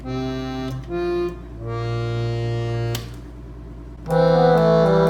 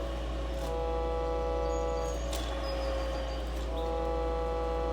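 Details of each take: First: Silvertone 4721 air-powered chord organ, rescued from the trash and repaired, all keys working, fan warmed up, pedal pressed to send sound through the side speaker: clear, sustained chord tones at steady volume, no sticking or droning notes; normal operation. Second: Silvertone 4721 air-powered chord organ found in the trash, blower running: steady chord drones on by itself over the fan's low hum; key stuck down.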